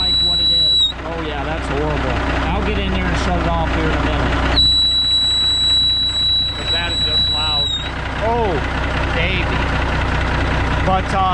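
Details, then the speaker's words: Air leak whistle from the 13-speed transmission splitter valve on a K100E Aerodyne cabover diesel, cold start, idling while air builds to about 60 psi: piercing steady high-pitched whistle cutting in and out over the idle. "because obviously as you can see and my ears are about that from that ringing that high-pitched ringing that just was going on there ridiculous"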